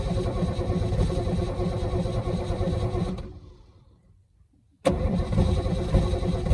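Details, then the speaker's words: Holden FC grey motor, first start in 50 years, sprayed with starting fluid: steady, even cranking at about three beats a second, a pause, then cranking again; it turns over freely, oil pressure comes up and it begins to catch. "sounds like it's actually going to run on L pressure guge while she's cranking actually got all pressure broes it yeah here we go"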